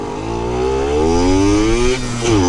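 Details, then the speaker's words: Yamaha YSR50 two-stroke on a test ride after crank seals and engine reseal fixed an air leak; clean rising buzz through the revs, dips at a gear change, pulls again, no misses or rattles. Normal running. "dude it's running smooth putting all my trust in these old ass tires that Brandon gave me"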